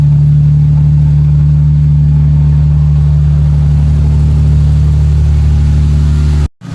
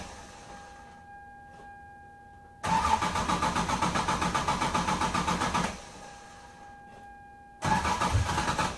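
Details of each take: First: 1996 Lexus SC300 manual, 2JZ-GE petrol engine, idling smoothly with an even low hum and no stumbling after its long-start, rough-idle cold start issue was fixed; does not stall when given gas. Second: 1996 Lexus SC300 manual, 2JZ-GE, with a long-standing hard cold start and rough idle, showing how it used to start: the starter churns in long rhythmic bursts, nearly four pulses a second, without the engine catching.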